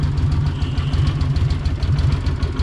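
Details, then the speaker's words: Honda GL500 Silverwing, 43 years old, running after valve adjustment on both cylinders: steady, even low idle with smooth pulse and no ticking; rattle was from valve clearances and is gone, though carburetor issues still suspected. "There is no more rattle. That valve adjustment is where the rattle was coming from. Yay! No more rattle."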